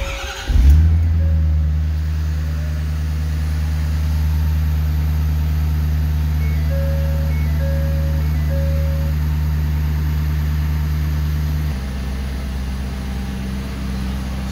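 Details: 2012 Ford F-350, 6.7 Power Stroke diesel, about 315,000 miles: running on a jumper wire at the body control module, a steady low diesel idle with an even drone, no misses or knocks; it dies when unhooked, pointing to a broken wire to the battery junction box.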